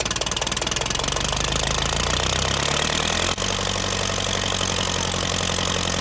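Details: Massey Ferguson TEA20 1950s tractor, first start after tank repair with sealing compound and a new wiring loom: engine catches and settles into a steady, even idle with regular firing beats; normal healthy start and idle.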